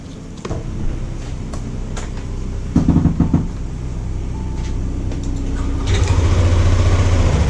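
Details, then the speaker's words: 2022/2023 Yamaha Zuma 125cc scooter after chain tensioner replacement for a top-end knocking noise: after some clattering the engine fires and settles into an even, low idle with no knocking; noise gone. "And that's it. And the noise is out, as you can hear it."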